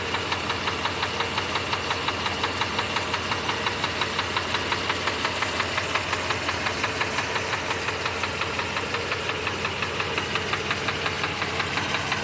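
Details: Mercedes W126 500 SEC V8 at idle: sharp, even ticking knock about three per second, clearly above the engine note; cause unknown.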